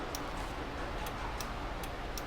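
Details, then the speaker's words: American Ironhorse Texas Chopper V-twin, sat for years and being checked over with the engine off: the left turn signal clicks softly and steadily about twice a second, flashing about 19 times before cancelling itself; normal. "so it does about 19 flashes and it shuts off on itself"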